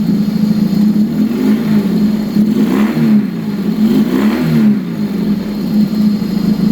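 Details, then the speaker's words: Motorcycle after carburetor synchronization and timing adjustment, floats possibly needing adjustment for a slight drip: crisp, even blips rising and falling smoothly with steady exhaust note, no misses or knocks; running really nicely, normal revving. "Yeah, running really nice. Really, really, really nice. This is fantastic."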